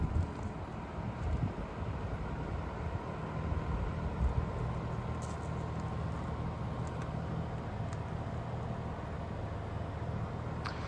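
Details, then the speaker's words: Gree Livo inverter mini split heat pump outdoor unit, two summers' use serving a Phoenix garage, heard close at highest speed: steady very low hum and soft even air rush, no rattles or squeals; runs normally, quiet as a microwave. "There's just a very low hum, very low air noise. Like most inverter mini splits, it's a very quiet unit."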